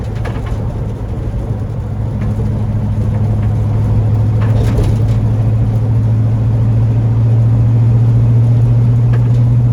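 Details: 1940 Ford Tudor on a drive after new eBay-kit tailpipes were fitted: smooth, steady low engine hum gradually building, no exhaust blowing or rattles; quieter, no more exhaust fumes. Normal running.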